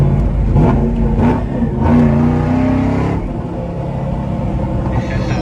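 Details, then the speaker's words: 2003 Ford Mustang Mach 1 V8, manual with brand-new clutch, ride-along: deep rumbling roar rising with revs, louder than a comparable car; owner beat out and hollowed the catalytic converters, letting the exhaust bark through. "what do you think sounds good it sound louder than yours yeah I think it is really yeah cuz it's cuz I I the the cats they've been beat they've been beat out beat all the stuff out of the cats"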